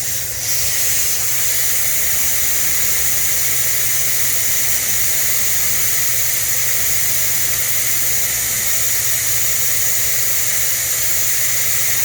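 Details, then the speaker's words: 2010–2012 Ford F250/F350 truck, TPMS relearn by deflating the tire: thin steady hiss from the valve stem with no strong rush. Flow seems restricted; the valve stem is suspected clogged, not confirmed. "Sounds like this one's clogged. Yeah. Definitely is."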